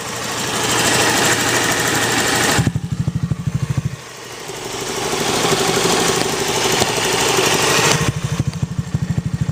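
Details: Honda Zoomer X scooter at idle: bursts of sharp, evenly spaced clicks about three per second over the engine note. The source of the ticking is not pinned down. Engine clicking.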